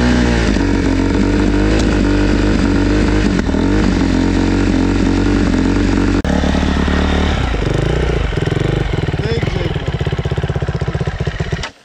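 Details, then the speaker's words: Yamaha Raptor fuel-injected engine after stalling: drones without climbing in pitch, surges, then slow uneven popping and dies; won't rev, runs oddly, owner thinks injection needs adjusting. "dziwnie na obroty wchodziłem w ogóle nie wchodzi na obroty a dziwnie chodzi tak nie tak faluje"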